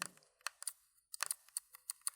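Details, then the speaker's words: Valve Index controller, right trigger: a short, high-pitched plasticky squeak on each press, about six presses in two seconds; the worn trigger mechanism squeaks constantly. "the trigger on my right hand is already squeaking it's audible enough that when nothing's going on in the game I can clearly hear it's clearly annoying"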